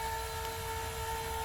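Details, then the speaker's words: Happy Jack bed lift after the fix: steady, even motor hum with no chain clicking or clanging. Chains had clicked together going up; a wood block glued under the chains at gear-chain height holds them up. "Okay, here's after my little fix. No more banging, no more clanging."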